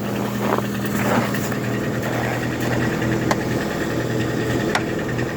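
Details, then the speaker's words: Lada Granta automatic at -11° cold start, after removing the pan and a fully clogged, dirty transmission filter; engine idles with an even low drone and no cold gearbox hum, problem solved. "Там коробка при такой температуре уже всё равно это гудела. Слушайте, проблема-то ушла."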